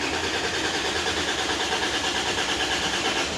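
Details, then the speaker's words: Dodge Dakota 3.7L V6 with a melted wiring harness behind the passenger cylinder head that shorted the 5V reference to the crank/cam sensors and TPS. Steady cranking churn with no catch: a long crank. "the thing was long crank meaning You' crank it and crank it and crank it and cranking cranking cranking crank"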